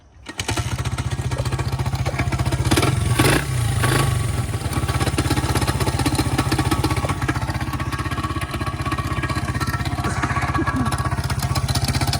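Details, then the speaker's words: Honda XR100 or Yamaha TTR90 pit bike, first start with a CR7 spark plug: fast, loud metallic clatter over uneven running, blamed on the timing chain, possibly chipping the cylinder; source uncertain. "That sounds tasty. That's the timing chain."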